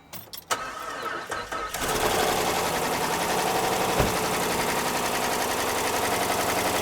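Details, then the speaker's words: 2013 Jeep Grand Cherokee 5.7 V8, about 160,000 miles, restarted after topping up a quart low on oil: rough idle with busy fast ticking clatter about four per second, still unhealthy; top end clatter. "I don't know how much a quart is going to make a difference, but >> yeah, I don't think so. >> It's not sounding too healthy right now."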